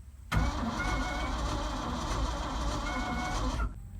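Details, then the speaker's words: Ford F-600 truck being resurrected, cranking with key on and dash lights on: strong even starter whir spins the engine over briskly for about three seconds; healthy cranking. "now listen to this she spins over sounds healthy too I say pretty healthy"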